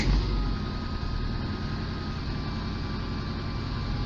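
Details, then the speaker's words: VAZ 21099 (Lada 99) with idle hunting: engine starts cold fine but once warm it misfires, shakes and jerks with uneven lumpy beat and lost power; sensors, injectors and air leaks checked, low compression misfire. "Видно, как трясет мотор. Значит, греется. Итак, троит двигатель, дергается, пропала мощность."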